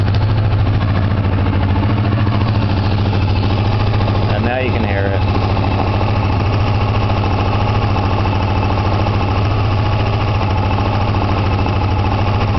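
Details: 1986 Honda VFR after carb rebuild, carbs out of sync, idling around 2000 rpm on choke indoors: faint light uneven tapping from the top end, cylinder #4, over the engine note; said to be louder at lower rpm; cause unknown.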